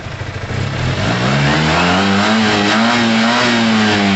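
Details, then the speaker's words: Yamaha TMAX after carb clean and new high-octane fuel, revved after sitting 5 to 8 minutes and warming up; the note climbs cleanly and holds a strong steady high rev without stumbling or popping, no longer rough as at first start. "Wow. It's a beast. I'm glad we let it sit for a while. When we first fired that up, you could have easily thought it's ruined, break the engine, but it needs to loosen itself up, you know."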